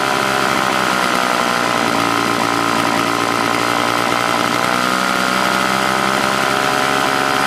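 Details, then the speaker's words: Old Toro S-200 snowblower two-stroke, hard to start when cold: buzzy ragged drone with no clean steady note, sounding fuel-starved; owner says primer seems to be looking for gas despite plenty in tank, suspects carb diaphragm; rough running. "primer kind of sounds like it's looking for gas but it's not getting any plenty of gas in it"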